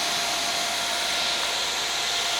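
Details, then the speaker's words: KTM dual sport motorcycle, newly installed 2-wire 120mm PC case fan as the radiator cooling fan, switched on to test the wiring. A smooth airy whoosh over a thin steady tone with no ticking or grinding: the fan runs evenly and normally. "So I want to make sure that when I press this switch, that fan starts blowing, and as you can hear it, it's pushing a lot of air through there."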